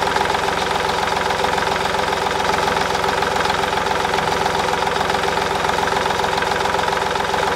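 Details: 2010 Smart Fortwo 451, 0.8 turbodiesel, 119,000 km, after a fuel filter change: a steady, even diesel idle with no hunting, stumbling or dying; no air in the fuel system and the engine runs smoothly.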